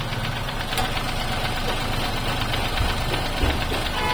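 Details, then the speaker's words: Toyota Passo after oil change from 10W-30 to 20W-50: rough idle with uneven, tractor-like clatter and occasional stumbles, knocking and misfiring started after the oil change; cause not yet diagnosed. "इनका कहना है कि मैंने oil change करवाया है तो उसके बाद इंजन में से आवाज़ आने लगी है, जैसे ट्रैक्टर में से आवाज़ आती है स्टार्ट करने पे।"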